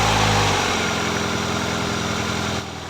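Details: BMW E36 petrol engine idling smoothly and steadily after the new idler bearing was fitted: no more clacking from the accessory belt drive.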